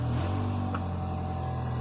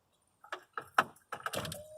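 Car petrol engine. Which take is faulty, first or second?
second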